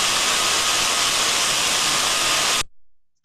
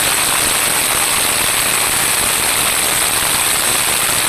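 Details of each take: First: smooth and uniform just the saw sound we wanted to hear so we can see the sound recording there that I likes to us that we have a gearbox that is in good working order Second: Electric motor bearing via ultrasound probe, same measurement point as a like-for-like motor, level raised to 61 dB: loud, harsh rushing hiss with rough crackle and changed tonal quality; motor bearing deterioration.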